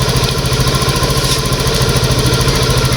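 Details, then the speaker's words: Honda Beat ESP injected scooter, kick-started (starter dead) after replacing weak fuel pump, fuel filter and tank O-ring; fuel pressure reads 42 PSI; steady even single-cylinder idle with no misses; normal idle after repair. "Oke jadi ini e motornya sudah hidup dan untuk pekanan pamnya atau prure g-nya itu di angka 42 ya ya itu klihat 42 PSI"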